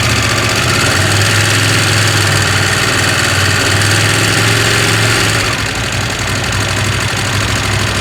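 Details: KTM 890 Adventure R parallel twin at idle: a quick, fairly even metallic rattle, about four per second, over a steady idle. The rattle gets quieter when riding; the owner asks whether it is normal and the cause is unknown.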